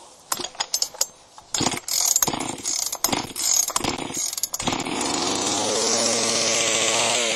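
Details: Chainsaw with spark confirmed: a few scattered rope pulls, then it catches and holds a steady high buzz; fires only on hand-primed fuel, carburetor suspected, to be adjusted. Starts only when primed.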